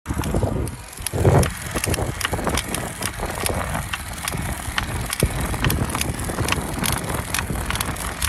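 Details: Trek Domane+ SLR7 Gen 4 e-bike, 6 months old, about 6,500 km: irregular sharp clicks and creaks from the motor/crank area, mainly in turbo 100% assist uphill; drive unit also threw error 0408 overcurrent twice.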